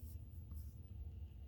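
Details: Truck cab blower after the failed part was swapped for a new one, at -4 degrees: low steady hum on speed one, no rattle or scrape; blower running normally at low speed after repair.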